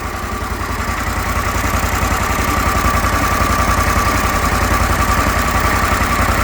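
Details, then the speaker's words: Briggs Vanguard repower in a Kawasaki Mule, restarted to check for earlier smoke, weak battery cables: an even, steady low putter at idle of about 3.5 beats a second with no knocks or misses; it runs good, nothing unreasonable. "Hoisted by crappy battery cables again. She runs good. It's not doing anything unreasonable."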